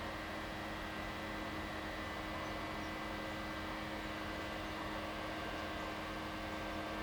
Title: Buzzing Sound Coming From Young's Well Pad 10 11 2013 004